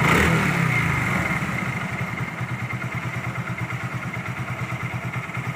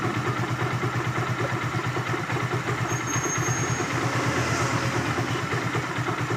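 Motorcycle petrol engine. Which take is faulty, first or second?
second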